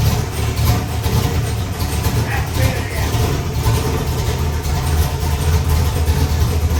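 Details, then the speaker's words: Ford 408 Windsor stroker V8, carbureted, with a new performance camshaft, hot run test; deep, loping idle with the uneven lumpy rhythm of a big cam, steady and low, healthy. "I know it's going to make some crazy ass power, but again, I want to fire it up and let you hear what it sounds like. This is one of my new camshafts for this motor."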